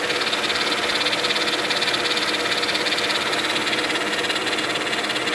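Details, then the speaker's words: 2000 Mercedes-Benz E320 wagon with stiff steering: a steady light metallic ticking at idle from that side of the engine. Owner suspects a failing power steering pump; unconfirmed. "i never heard that sound before but i assume that's that's the power steering pump"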